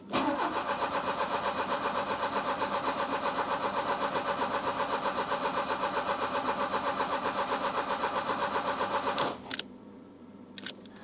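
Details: 1984 Opel Ascona 1.6S (90 hp) revival after priming the fuel pump. The starter spins the engine evenly for about nine seconds without catching; it cranks but won't start. Possible lack of spark or carburetor needle seat issues are suspected.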